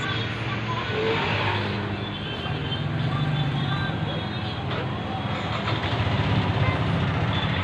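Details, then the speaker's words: Yamaha NMAX 155 after fitting a new bore kit (cylinder block, piston, rings) with cylinder head reassembled: smooth, steady idle, even low drone, no knocking or rattle; repair successful. "Ayan, umandar na. Pakinggan natin. Ayan, napaka-smooth pa ng kanyang andar. Wala nang ingay. Hindi na makalampag."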